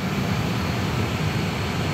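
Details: Airbus A320neo engine dry motoring on the starter during an MCDU-run operational check after starter valve replacement. Even, steady rushing roar with a low constant drone and no scraping or rubbing. Normal dry motoring.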